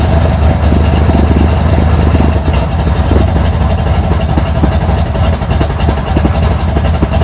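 Deep, loping idle with an uneven low beat and constant rumble, just a big-cam V8 cold start, nothing wrong.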